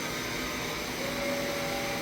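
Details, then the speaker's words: Doosan DN SVM 4100 machine: a thin, steady mid-pitched whine over shop hum from the automatic grease pump lubricating the ball screws and linear guides. This is normal operation. "that is your grease pump oh oh okay than you that's what you're hearing is a grease pump go"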